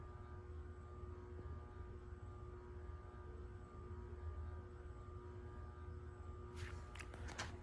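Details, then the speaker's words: Casablanca Concentra ceiling fan on a variable speed control at low speed: a very quiet, steady low hum with no ticking, rubbing or wobble, turning smoothly at low speed. "Got a perfect low speed. I'm going to bring it up just a little bit."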